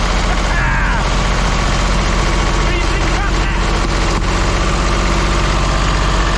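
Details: Old diesel vibratory roller compactor, first run after sitting 30 years: lumpy, uneven chug at mid throttle with a beat that keeps dropping out, a bit smoky; owner thinks it is missing on one cylinder.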